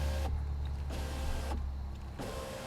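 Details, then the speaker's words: BMW E90 new rear window regulator, window switch plugged in and operated from the back: motor hums in short runs, cuts out and restarts partway up; owner suspects it needs a computer reset. "interesting how it's stopping we might have to reset something in the computer or something like that but i think that it's otherwise moving up and down you know"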